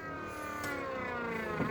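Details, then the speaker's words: School bus during a CDL interior inspection: when the brake pedal is pressed twice, the electric brake assist motor runs with a rough, steady grinding whine, which is normal operation. "press it twice you should hear the brake booster you hear that grinding sound that's the electric motor there's electric brake assist"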